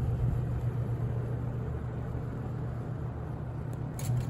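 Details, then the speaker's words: Holmes HABF-20 box fan (Feb 1997), seller's note said "hums". On low it gives an even hum and soft steady whoosh with no rattles or ticking. Running smoothly. "Oh well, here is low."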